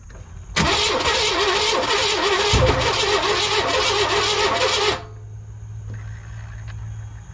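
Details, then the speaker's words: 1998 Chevy C1500 truck cranks, fires for a few ragged seconds with uneven stumbling "hippity hoppity" roar, then quits; runs rough, owner wonders if loosened torque converter is involved or engine is down. "well it cranks and it fired off for just a second but uh that did not sound good [Laughter] I don't know if it's because I've taken like the torque converter loose or what but the motor is kind of doing a little uh a little hippity hoppity sound to it"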